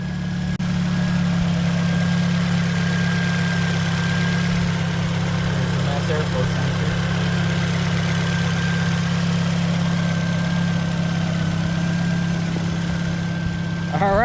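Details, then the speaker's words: 2005 Nissan Sentra after new ignition coils, spark plugs and mass airflow sensor work: smooth, steady idle with even low hum, no misfire, but loud droning exhaust from a muffler still to be fixed. "as long as it's running good it could be a little loud for right now but we're gonna get that fixed too"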